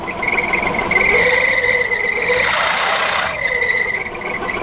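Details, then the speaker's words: 1979 Chevrolet Caravan SS six-cylinder: high, steady alternator-like whine at the front that persists with the alternator belt off and swells with revs. Worn crankshaft and camshaft timing gears, teeth found thin. "ela tem um barulho na frente do motor parecido com alternador é um Açu viio é um gritado então a gente tá com a expectativa que seja a engrenagem engrenagem do girabrequim com a engrenagem do comando que tá fazendo esse barulho"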